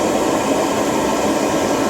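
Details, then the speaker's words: Veichi inverter on mains bypass charging its battery, charge current 22–23 A, expected to rise toward 100 A: steady, even rushing whoosh, no rattle or tick; cooling fan running hard under charging load, normal. "Такий шум, тому що на струм, дивіться, зараз 22, 23. Зараз дивимось, повинен піднятися аж до 100 А."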